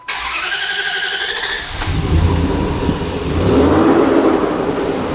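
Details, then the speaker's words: 2004/2005 Dodge Dakota with a rough idle on start-up: cranks, catches and flares, then settles into an uneven, lumpy run. The EGR valve is stuck open though not commanded, so the scan tool shows zero EGR flow. "So where are we? The EGR is just stuck open. It's not being commanded open, so the computer doesn't understand that it's stuck open."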